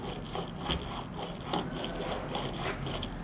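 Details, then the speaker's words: BMW E36 passenger-side wheel hub turned by hand; dry gritty rasp swelling and fading about once a second; worn wheel bearing, likely contaminated after a torn CV boot threw grease around, before hub replacement. "it makes sense that this one is the bad one because I had to replace the CV axle on this side cuz the boot was torn up and if you look back here bunch of grease and stuff kind of thrown all over the place"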